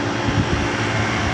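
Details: Old Traulsen fridge on R134a, retrofitted with a condenser coil from a walk-in cooler and rewired, just switched on: steady low hum with a constant whooshing rush of the condenser fan, no knocking or rattles; compressor running normally.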